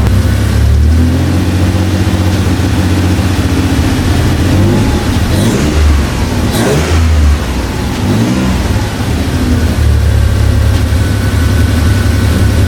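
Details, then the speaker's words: Toyota truck with a swapped 3.4L engine, after replacing cheap aftermarket ignition coils with OEM ones: revs up and settles back cleanly with no stumble or misfire, though a large exhaust leak adds loud puffing. Misfire fixed. "Well, guys, it's running 100 times better after we swap the coils. It obviously sounds a little funky because there's a huge exhaust leak up here, but it actually revs smooth."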